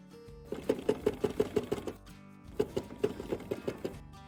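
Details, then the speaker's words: Mazda whose owner changed his own spark plugs but forgot to install one: sharp rhythmic chuffing, about five or six puffs a second, as gas escapes through the empty spark plug hole; missing spark plug. "The owner of this Mazda had changed his own spark plugs, but forgot to install one of them. And his car ended up sounding like this."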